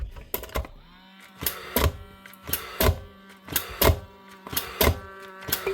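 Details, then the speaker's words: Paslode gas nail gun in for repair: light clicks about once a second with no firing crack, cycling but never firing; old gas cell suspected first, but fresher gas also fails, so not the gas. "Nope. We've got more problems yet. Let's see, they've been sitting in there a while."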